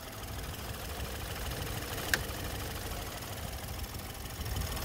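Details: 2017 Ford Fusion 1.5 turbo that stalled and restarted hard after fueling, codes P051B and P1450 (vacuum-related) and P162F, after repairs. Low, steady idle with an even rumble, one brief tick; runs smooth.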